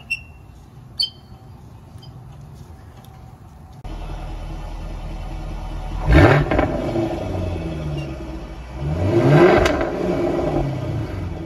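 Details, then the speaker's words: Jaguar F-Type active exhaust: engine blipped every few seconds, giving a brief squeak at each rev at low speed and rpm as the exhaust valves move. Greasing the valve pins seemed to stop it. "But that's the noise right there that you're trying to get rid of."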